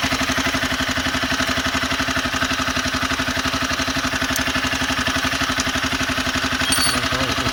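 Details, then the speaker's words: Honda CBR250R single-cylinder idling: steady light metallic chatter over the exhaust thump; owner suspects a slightly loose timing chain needing tensioner adjustment, not confirmed. "I have a CBR 250R okay uh which has a timing chain sound seems to be the chemical is a little bit loose on it so which needs to be tightened"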